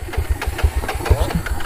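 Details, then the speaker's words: 1995 Honda TRX 300EX or 1987 Honda TRX 250X quad after oil change and switching fuel to reserve: single-cylinder chugs with uneven, lumpy low thumps, stumbling instead of settling into clean idle; hard starting, possibly fuel-starved. "i'll try to choke it sounds kind of weird right let's give her the beans"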